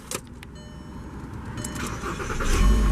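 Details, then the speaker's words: 2009 Volkswagen Jetta SportWagen 2.5 S, five-cylinder, key start: the starter whirs briefly, then the engine catches cleanly and settles into a steady, even idle. A normal, healthy cold start. "you can hear that 5-cylinder fire to life."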